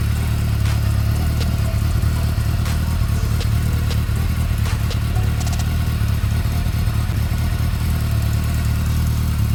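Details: Honda CB400 Spec 3 motorcycle at steady low idle with faint, irregular light ticks over it; engine ticking noise of unknown origin.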